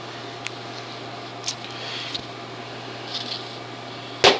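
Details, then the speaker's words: $5 HoldPeak multimeter under a DC current test with up to 600 V, almost 200 W going into it and the meter very hot: a low hum and faint ticks, then a loud internal pop. Current dropped to about 60 mA, with what sounded like arcing inside. "Whoa! Oh boy. Yeah, that scared me. There was a loud pop and then the current dropped off really fast."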